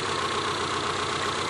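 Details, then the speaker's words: ZAZ Slavuta injector engine after cleaning dirty throttle body that caused hunting idle, air hose refitted: even steady idle hum with no hunting or surging, no air leaks; normal idle. "Doanh thu trở nên ổn định. Khí được bật và không hút bất cứ thứ gì. Động cơ vận hành trơn tru."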